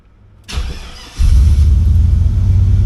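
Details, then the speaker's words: 1985 Monte Carlo with single turbo 4.8 and 4L80E, restarted after working underneath near a possible O2 sensor plug under the header wrap; starter catches into a deep, even rumble, quieter, no hiss or ticking. Normal exhaust note. "Oh yeah, that sounds completely different. Oh, that sounds a lot better. Like before, it was loud. Now it's toned down, but it sounds better."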